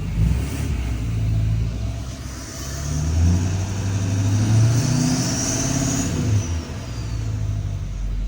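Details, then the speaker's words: L5P diesel with newly installed Calibrated Power 64mm turbo: deep rumble rises and falls with throttle blips, clear turbo whistle climbing on top; owner says it purrs, sounds healthy. Normal revving with turbo. "Oh, yeah. Listen to this thing just purr."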